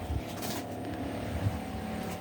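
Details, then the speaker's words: Forte CL16A 16-litre electric sprayer after wand repair, tank emptied: steady quiet electric hum with thin high whine, nothing flowing out; pump running dry. "це вже вода кінчається Ну не тече бачите дивіться о підкачало все вода закінчилась"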